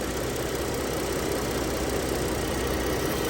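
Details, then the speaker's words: Lincoln MKS idling rough with a dense, uneven rumble, with a hard brake pedal; the brake booster is leaking vacuum audibly, and the booster needs replacing. "see he's leaking back there that thing is leaking so bad you can hear it that's why he's idling rough because there's a vacuum lick also"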